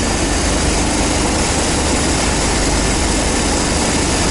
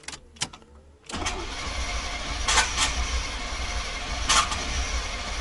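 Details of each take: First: 1990 GMC 350 small-block V8 first fire after engine swap, cold, Thrush muffler and Cummins exhaust tip: deep steady rumble with even exhaust note, no misses or knocks; normal idle. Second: 1990 GMC 350 small-block V8 first start attempt after engine swap: starter churns about eight seconds at a steady, uneven chug without firing; cranks, no start. Oil pressure present; owner suspects ignition timing is off.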